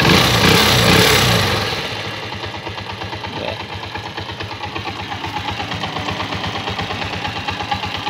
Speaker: quiero decirles amigo quiero que escuchen el sonido ya no suena muy fuerte tac tac tac tac tac y el mínimo está parejo